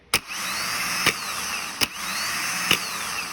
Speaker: all right that's what a good starter and good solenoid should sound like and act like